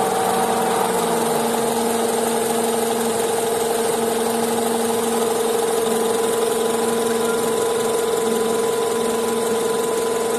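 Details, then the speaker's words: Honda CR-V at idle: a faint steady hum and whirr from the lower belt area under the cooling fan noise; a stethoscope pinpoints the belt tensioner pulley, whose bearing is noisy when spun by hand and gets replaced. "现在我已经听出来，感觉是这个皮的轮这里，或者是粘紧轮有响声。"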